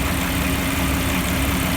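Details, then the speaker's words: Jeep engine rebuilt from hundreds of pieces, first start with no check engine light: steady, full-bodied rumble with no ticks, knocks or misses. The rebuilt engine idles evenly and purrs. "we finally got this thing started I know you guys been waiting for that so we gotta started it sounds great it absolutely purrs oh yeah sounds really good that was great"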